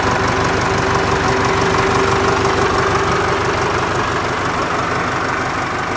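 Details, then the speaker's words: Ford 4040 industrial diesel tractor, cold start after rebuilt injectors installed, valves lashed cold, glow plugs run first: steady even clatter about three beats a second at idle, no misses or knocks, little smoke; running healthy. "it's gotta should have all the air outlines and everything now i've ran it some so we'll give it a shot here yeah it sounds pretty good now"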